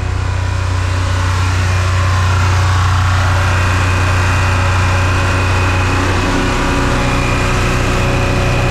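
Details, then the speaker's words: Abandoned generator after repair, running with no load and no more frictiony scraping: loud, high-revving steady even drone, sounds like screaming but holding speed; should be about 1900 rpm no load, needs adjusting higher. "I know it sounds like it's really screaming. Anyway, like I was saying, I know it sounds like it's really screaming, but trust me, okay?"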